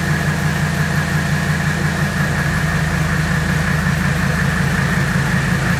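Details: 1984 Mercedes W123 300D turbo diesel that had been sitting, at idle: steady, even diesel clatter with a smooth low rumble and no misses or knocks. Owner calls it the best-running old car he has had.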